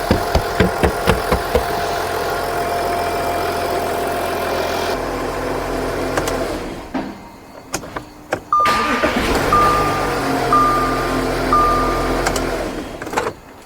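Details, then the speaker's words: 2014 Audi Q7 3.0L after valve cover gasket replacement, leak-free: smooth even idle with no knock or rattle, then engine switched off and dash chimes sound; runs fine. "so now I'm going to turn off the engine so we can wrap up this video so this engine sounds good"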